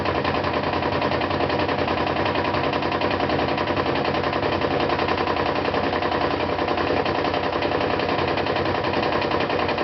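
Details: Brand-new GE washer, loaded with 2 blankets, knocking rapidly and heavily about twice a second during spin, silent when empty; a technician found the concrete counterweight's two screws untightened and tightening them cured it.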